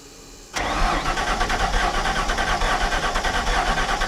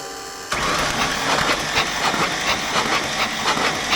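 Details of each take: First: 1993 Ford F700 gas dump truck, long parked and bought as a ran-when-parked, with a few gallons of fresh gas added and something poured on top of the cylinders: steady fast cranking for about ten seconds, turning but never firing. Long cranking without starting. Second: 1993 Ford F700 gas dump truck, long parked, plugs removed and battery connected, cranked to blow stuff out of the plug holes before fitting new plugs and wires: starter spins the engine freely with an even pulse, no binding. Normal free cranking.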